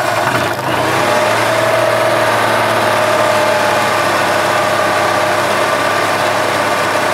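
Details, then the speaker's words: 2007 EZGO TXT gas golf cart, sat outside over winter, after a new battery and fresh oil: steady, even mid-pitched engine run, no knocking, ticking or misses; engine runs normally, though it smells a little rich and probably burns some oil, likely worn. "okay and din sounds good smells a little rich so it's probably like it's burning a little bit of oil"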